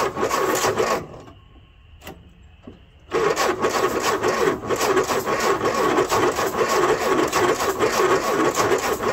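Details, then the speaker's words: Ford-built M151A2 military jeep, 141.5 cubic inch engine, stored 20 years, primed with gasoline and choke closed: starter churns slowly and unevenly, barely one turn per second; sluggish cranking. "Well, that starter ain't real enthusiastic about turning over."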